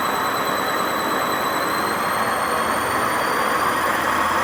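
A harsh, rushing roar sits under high whistling tones that creep upward as the drum spins faster, the rough rumble of a badly worn drum bearing.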